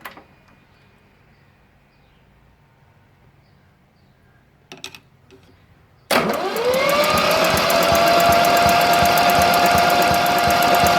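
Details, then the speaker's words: Yanmar 3QM30 marine diesel, stored since 1991, cranked by screwdriver on the starter with the compression release engaged: starter winds up to a steady high whine with even rapid beats. Oil pressure reaches about 55 psi; cranks freely, not starting. "as you can see it comes right up to about 55 psi just cranking not starting"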